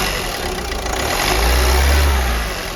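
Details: Ford EcoSport after engine overhaul for oil consumption, first start: steady low hum with brief rev swell then easing back, smooth, no knocks; normal idle.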